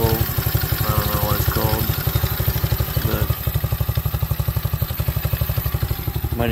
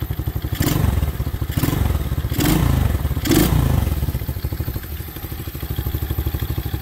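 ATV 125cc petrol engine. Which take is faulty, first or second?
first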